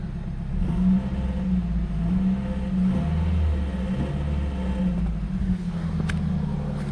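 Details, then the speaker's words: Toyota Celica after an intake rebuild and fixing an airbox air leak that upset the MAF sensor; battery was long disconnected, hot weather, fuel trim still relearning: low, steady idle rising smoothly on a blip; runs normally. "Battery was unplugged for a long time, and it's hot out. Still learning the fuel trim, so it's all right if it sound like that,"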